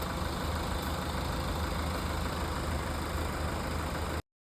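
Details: BMW 525d diesel with smoke problem, idling: heavy rushing hiss and high steady whistle over diesel clatter; turbo failure with core damage, fixed by turbo core replacement.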